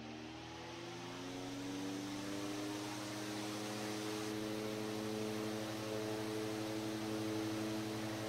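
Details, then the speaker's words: 100-plus-year-old Century S-3 Model 15 desk fan starting on high speed, straight wall power about 123 volts: steady hum, tone climbing smoothly as it spools up, no rubbing or knocking; normal running. "But for right now, I'm just going to do a straight out of the wall test. So here we go, starting with high speed."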